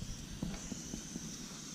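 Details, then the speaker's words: Coleman 533 Dual Fuel stove turned down to low (clicks into low position), still some yellow flame: quiet steady hiss with a few faint pops; stable low flame, healthy. "It's now on the low. When you turn that down, you can hear a click. That means you are in the low position."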